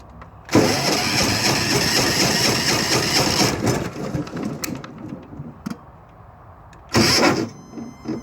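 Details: Diesel generator start attempt: three seconds of loud cranking that never catches, a pause, then another brief crank; hard starting.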